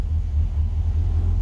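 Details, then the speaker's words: 1963 Falcon, turbo 2.3L, aftermarket throttle body and IAC: deep, even, low idle rumble that runs fine. Idle brought down successfully, though tuning remains touchy as IAC and throttle blade settings interact; owner considers a smaller throttle body. "well i got the idle down so i guess that's a success i got a little work to do with it yet on tuning it's really touchy"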